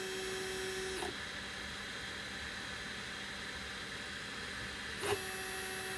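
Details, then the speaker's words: Easythreed K1 3D printer after upgrading the X and Y stepper motors to cure a clicking noise, jogged manually via USB from Cura at 100: clean, steady motor whine as the axes travel, a pause, then the same even tone; no grinding or skipping, normal. "oh that's the x and y axis that sounded pretty good"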